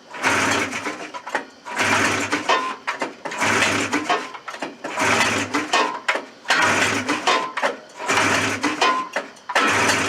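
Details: Suzuki Fury snowmobile, extra ground strap added and fresh fuel: engine surges in ragged bursts about every second and a half, catching and fading; rough running from weak spark, open low-speed ignition coil.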